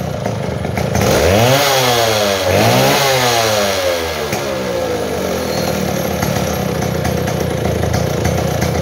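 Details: Model 070 chainsaw, brought in for no power and backfiring, revs climb cleanly twice and fall back to a steady idle with no popping or stumbling; two-stroke running normally.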